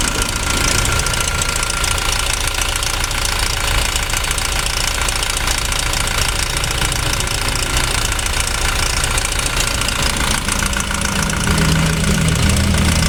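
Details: Toyota Revo diesel at idle: a busy, uneven clacking, roughly three or four per second, rides over the engine note, and it persisted after a part was replaced; mechanic suspects the timing chain, unconfirmed pending teardown.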